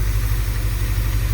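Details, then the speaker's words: Same truck after new plugs and wires and carb cleaner sprayed on the engine: a low, steady idle with an even beat and no skipped firing, so the misfire is gone. Owner suspects sticky valves and that carb cleaner cleaned it out; motor mounts still bad. "And two, misfire is gone, thank God. And I think it wasn't even the fact that I did the plugs and the wires."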